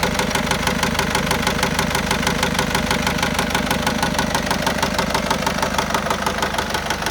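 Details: 2010 Citroen C4 Grand Picasso 1.6 HDi diesel at idle: a steady hard knock about three times a second. Worn bottom-end bearings suspected, unconfirmed.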